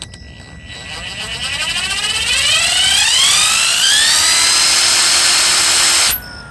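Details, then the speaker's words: Mercedes S600 alternator on bench, new replacement unit: clean whirr climbs smoothly in pitch as spun up, then cuts off; no marble-like gravelly rumble unlike the original with bad bearings, so bearings sound good. "you see the difference the new one does not make this marbling sound"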